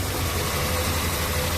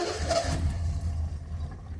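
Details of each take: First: 1974 Triumph TR6, restarted after about four years sitting with ignition points trouble; steady, even low idle with a regular beat, no misses or knocks, running well; owner thinks coolant may be low. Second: 1974 Triumph TR6 revived after years sitting, new battery, old fuel in the tank, coil wired straight to the battery over a suspected voltage loss: it catches with a low uneven chug, stumbles and dies within seconds; sputters and won't stay running.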